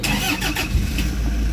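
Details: Toyota HiAce Commuter started after cleaning a clogged EGR and intake manifold for codes P0400/P0406; short crank, then it catches and settles into an even, steady idle with no misses, and the check engine light is gone.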